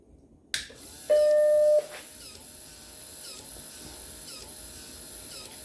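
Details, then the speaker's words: Macintosh Plus (upgraded early Mac) floppy drive on power-up: a loud steady tone, then repeated mechanical clicks over a faint hum as the drive constantly tries to eject; a broken eject gear is suspected, not confirmed. "so of course you can probably hear that very loudly uh the disk drive is just constantly trying to eject"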